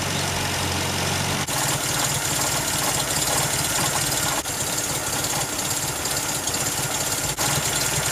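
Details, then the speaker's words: 1974 MGB after full engine rebuild, new spark plug wires and air filter fitted: steady even idle with busy top-end clatter and no distinct knock; running almost perfectly, though not yet tested under load. "so guys i am so pumped that this thing is finally running almost perfect"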